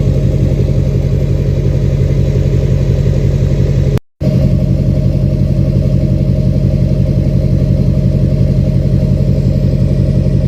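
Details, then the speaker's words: 2006 Chevy Silverado LBZ Duramax diesel, DSP5 tune (tunes 2 and 4 give ~10% vane position for rumble), new 5-in exhaust with minimal Diamond Eye muffler: deep steady loud rumble, even low throb, nothing knocking; normal idle. "But, man, I love the way it sounds. Listen. Sounds mean. Sounds the way a truck should sound."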